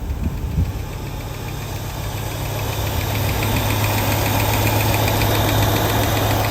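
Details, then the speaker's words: 1967 Lincoln V8 with new carburetor, driver-side inlet port drilled out, warming up, heard at the exhaust: low, steady burble, even with no stumbles or misses; sounds much better than with the old carburetor, minor accelerator linkage issue remaining. "oh yeah it actually sounds a lot better at the exhaust than it did with the uh the old carburetor"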